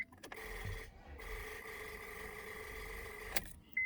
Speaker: not enough power to stop the car engine you can see they are light but there's not enough power to stop the engine so this basically means you need to replace any new car battery for your Honda Accord 2000-2007